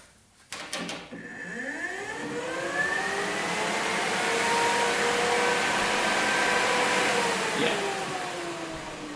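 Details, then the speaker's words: Cooling fan added to Kawasaki KZ 650cc shifter kart motor, after swapping reversed positive/negative wires that had spun it backward: click, then whir climbing and holding steady without rattles or rubbing; now blows harder. "so I switched the wires around and now we're all good so it blows so hot harder"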